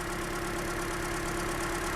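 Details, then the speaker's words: 2007 Toyota Corolla four-cylinder petrol at idle, under the hood: uneven, lumpy idle with unsteady beat, slight knocking and engine shaking, probably not a misfire; rough idle. "I'm under the hood now I can definitely feel that engine sort of shaking a bit it's not bad it's I don't think it's a it's a it's like a misfire it's some kind of hesitation there"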